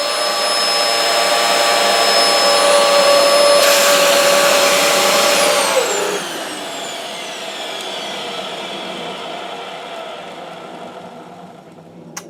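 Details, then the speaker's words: Dyson DC07/DC04 vacuum motor during service: steady high whine with a slight rough edge, pitch falling as it spins down; a little noisy, owner plans to oil it, cause unconfirmed. "does have a little bit but noisy mama a little bit noisy mother so I think what I'm gonna do is I'm just going to lubricate it up a little bit with a little bit of oil and I should sort that out no problems"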